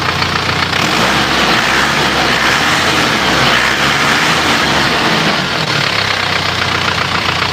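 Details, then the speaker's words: Isuzu Panther diesel after engine overhaul for white smoke, with used liners reinstalled: steady even clatter with a bright hiss on top, no knocks or misses; smoke seems cleaner; normal diesel idle. "n Cafe suaranya suaranya ya bagus ya asapnya kalau menurut perasaan saya Justru malah lebih bersih"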